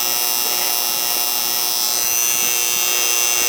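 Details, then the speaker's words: Roughly 10-year-old R-22 AC condenser unit during annual service: a steady electrical buzz with a thin high edge. The contactor is humming; the dual capacitor read 40/40 instead of 40/5. "Okay. He's a Hummer."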